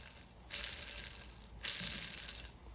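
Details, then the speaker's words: 1996 Sea-Doo XP 787 rotary engine teardown: the counterbalance shaft bearing, from a case with a blown seal and oil and water inside, gives a dry gritty rattle when hand-spun. It is rough and pitted and needs rebuilding. "this bearing is very rough and you can actually see a lot of the the pitting and stuff on the bearings themselves so this needs to be rebuilt"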